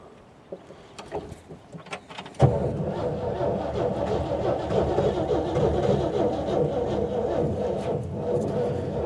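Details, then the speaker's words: 1950 Jeep CJ3A found sitting outdoors: sluggish, dragging crank around four turns a second that never catches, starter labouring; owner suspects weak battery rather than starter; slow cranking. "also sounds like the starter's about dead. Not the starter, but the battery."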